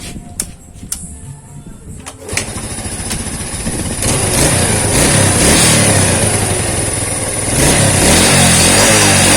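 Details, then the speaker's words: Yamaha Vega/Crypton after fitting a DC Shogun 110 CDI with modified pickup bump and regapped spark plug: engine catches after a few cranks, settles into steady even idle with light revs; revs more freely and idle is high, to be lowered. "nah ini sudah enak banget ini putarannya lebih ringan dan stasionernya lebih keras"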